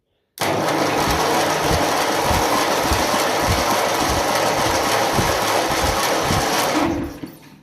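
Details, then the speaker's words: 1957 Ferguson FE35 TVO tractor during compression test: steady fast cranking about six seconds with even low compression pulses, then winds down. "You can hear the engine freeing up a little bit there. Now slowly the battery is turning a little bit faster."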